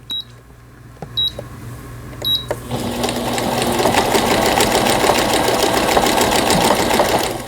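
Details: Brother 847 computer sewing machine, made in Japan, 220V, after repair; short panel beeps then steady rapid needle clatter about 3.5 stitches a second, sewing alphabet letters; healthy stitching.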